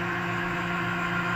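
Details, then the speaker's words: 1982 Matsuura CNC mill with Centroid control retrofit, Z axis jogged down continuously at rapid speed, 100%: steady, loud droning hum with a fixed low tone; axis noisy, cause unclear. "go to rabbit speed, and we'll just leave it at 100%. So bringing the Z down, it's a little noisy."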